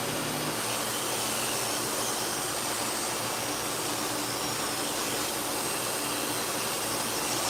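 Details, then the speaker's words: Clipper blade after the worn blade socket was squeezed slightly to reduce play: an even, continuous buzzing hiss over a steady low hum, with no rattle or knock. "So I'm squeezing that together. I don't want to squeeze it too much, so there's less play in that socket now. It should be quieter."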